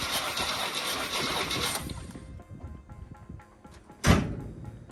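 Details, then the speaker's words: 1972 Chevy C20 3/4-ton, factory 402 big-block V8, battery boosted after seeming dead: starter turns the engine over in a rough, even churn for a couple of seconds, then stops; cranks but won't fire. Owner suspects battery or electrical trouble. "Oh, it's turning over. Do you hear that? No, nothing. Strange. It just turned over."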